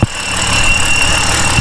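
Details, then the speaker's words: Car with over 100,000 miles, rough idle: thin steady high whistle over uneven idle, suspected vacuum leak from a rubber breather seal in the valve cover; parts already exchanged without fixing it, valve cover hairline fracture suspected. "then you're gonna have the one on the top which is that intake side you can hear the whistling but also we we exchanged these out and it's still having a rough idle"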